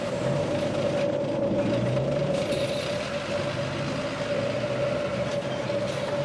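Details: Water main leak heard at a fire hydrant with an LD-18 digital leak detector, noise reduction off: constant static-like rush with a steady mid-pitched tone under passing traffic; water escaping from a leaking main.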